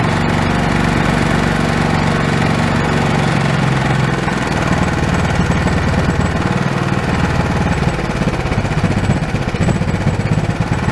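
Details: Old Honda single-cylinder engine that sat for years, after the throttle was reconnected: it runs loud and steady with an even putter, no misses or knocks.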